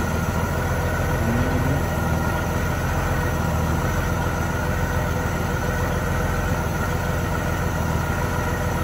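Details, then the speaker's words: Honda GL1500 Goldwing after carburetor reinstall and fuel hose replacement: steady, even smooth idle during leak check before idle setting; no misses, running fine. "Not bad. Everything's looking good."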